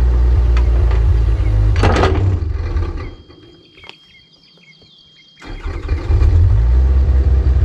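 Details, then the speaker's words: Recently bought used excavator: a steady engine note sags almost to nothing for about two seconds, then recovers; sounds like it intermittently misses on a cylinder or two, cause unknown. "uh-oh it is not running right it sounds like it's missing like intermittently misses on uh a cylinder or two"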